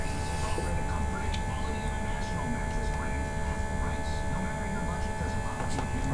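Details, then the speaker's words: With engine off and key on, a steady low electric hum and faint constant whine from the intercooler pump, not the fuel pump, running whenever the key is on, on an LS 408 with LSA supercharger in a C5 Corvette after new PTFE fuel lines and fittings; normal. "If you're wondering what that noise is, it's running the whole time the key is on. It is not the fuel pump. That is actually intercooler"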